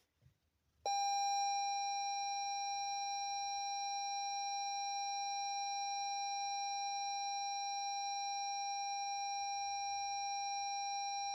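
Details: 2017 Lexus NX 200t with new battery after a reversed-polarity jump-start sparked: a click, then one steady non-pulsing high warning chime, no engine; starter won't crank on start button; locks, signals, high beams work, fan, parking brake, transmission dead.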